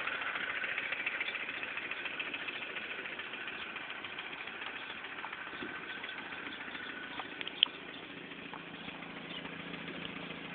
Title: Mini cooper s idle ticking noise.3GP